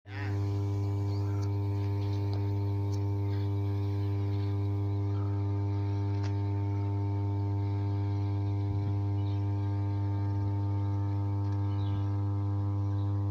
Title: Switchyard of "33/11 KV SUBSTATION" with 5MVA transformer humming sound